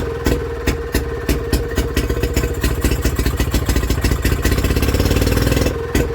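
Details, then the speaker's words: Villiers WX11 single-cylinder engine at first start after a carb rebuild and new points and coil, chuffing at a slow idle that surges and sags as the governor hunts; the top adjustment needs setting, and the ignition timing was found to be at fault. "and that hunting don't like it. So I think we've got to adjust that on the top until that runs like this with that straight up."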